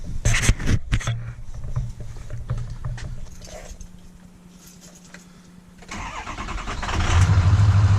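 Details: Ford 6.0 diesel with a crank/no-start fault, after an oil change and rebuilding oil pressure: uneven cranking, then it catches and settles into a steady low rumbling idle; the fix worked and it starts normally.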